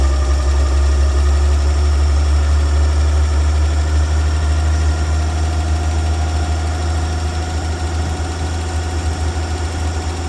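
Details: 1965 Dream 21 van engine started after wiring short repair: steady low idle rumble, even and unchanging, no knocking or misfire; idling healthy, no leaks.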